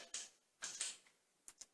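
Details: Shower door in an older remodeled house: a few short dry squeaks each time the door swings, hinges not set right and out of adjustment, possibly rubbing the tile; hinge creak.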